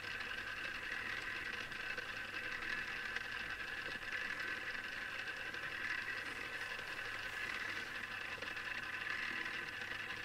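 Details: Newly assembled Tamiya Display Turntable (black), on its first test spin: quiet, steady high-pitched whir with a faint rattly edge from the small gears; the owner dislikes the gear noise, cause unclear.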